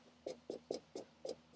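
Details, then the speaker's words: Tesla Model 3 LFP driving: sharp regular clicks about four per second over quiet cabin hum at speed; source not in the door. "and I've had this weird noise with the car that is like a clicking noise at speed"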